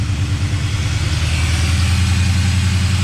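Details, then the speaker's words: Nissan Patrol GU with an LS1 V8 swap, first start after reconnecting. It holds a steady, even but noticeably high idle with no knocks or misses, and the heat wrap is smoking. "see the idols high yeah that's running good though very good oh there goes the idol ah turn it off"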